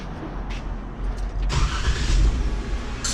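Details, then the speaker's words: 2016 Jeep Wrangler with dual diaphragm brake booster, after leaking booster repair: steady low idle rumble, the hissing noise from the booster area now gone, indicating the repair works. "the hissing noise from down here has been eliminated as well. So that's an indication that it does work."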